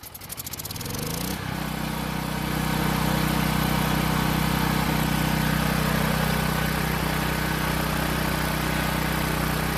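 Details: Long-sitting Powermate generator, carb test-fitted without air box and fed fuel directly through short line instead of the tank: sputters briefly, then settles into steady even drone, no misses or surging; old fuel and carb confirmed as no-start cause.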